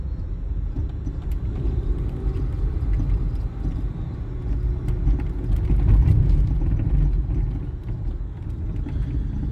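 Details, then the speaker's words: 1996 Nissan Maxima while driving: low road rumble with loose, irregular rattles over bumps from a worn suspension bushing; suspension very soft, engine otherwise sounds fine. "if you can hear that rattling that's just because of that bushing and then of course you know the suspension is really soft"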